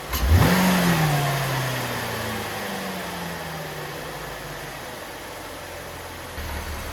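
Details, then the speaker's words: 2012-2016 Chevy Impala 3.6 LFX V6 with a new AF Dynamic cold air intake, recorded on a phone: quick start, rev flare, then a smooth even idle. Louder and much deeper tone than stock, with no knocks or ticks. Healthy. "Obviously, the camera on my phone does not do the justice to how this sounds at all, but in person, it sounds a little bit louder, but the tone of it is way deeper. It sounds really good."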